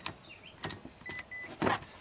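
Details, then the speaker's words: 1997 Ford F-150 4x4 farm truck, key off, new battery and alternator, body ground (G200) rusted off: relays still click and small motors whir in short bursts; 14 amp parasitic draw from the broken ground. "14 amps massive that's a huge parasitic draw no wonder this truck is going dead"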